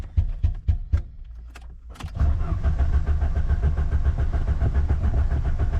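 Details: Ford Sierra RS Cosworth left in a garden for over 17 years, on old low fuel, accelerator pedal sinking to the floor: a few short cranking bursts then steady fast rough cranking, the engine never catches; cause not confirmed.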